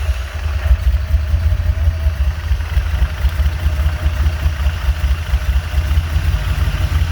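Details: Honda J35 with BC cams, 12:1 compression, swapped back to normal rockers: deep, lumpy rough idle with uneven low pulses rising and falling, never smoothing; idle still being worked out, cause unconfirmed.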